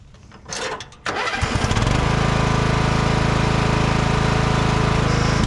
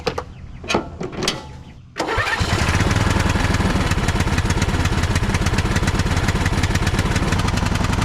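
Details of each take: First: Craftsman riding mower after its clogged muffler and rats nest were cleared: cranks briefly, catches and settles into a steady, even, low putter with no misses or knocks. It runs and drives normally. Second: Craftsman riding mower, bought cheap and jump-started with a booster pack, oil checked: cranks, catches and runs a rough lumpy beat but won't rev, no throttle response. The owner suspects a plugged muffler, and a rats/ants nest was found.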